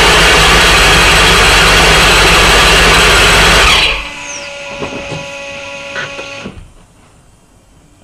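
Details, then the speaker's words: Supercharged Corvette V8 during first start-ups, after an oil cooler housing seal leak was found: loud steady rushing hiss over the running engine that stops at shutdown; vacuum leak, traced to part of the intake. "I'm hearing a vacuum leak in here are you really yeah oh great now we got a vacuum leak issue"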